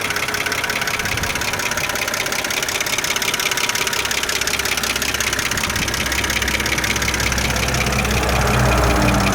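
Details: 2008 BMW 325xi N52B25 petrol six at idle after lifter replacement: fast, light, regular ticking riding over the engine note.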